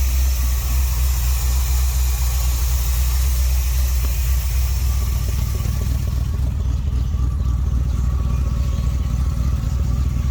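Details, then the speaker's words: Vintage street machine "Jezebel" just started, with an oil leak from a suspected broken oil pressure sender, not yet warmed up: a deep, even idle with a steady throb of about four beats a second, no misses or knocks; normal. "That's how it's supposed to run. Oh, turn signals on. So much better. 10 times better."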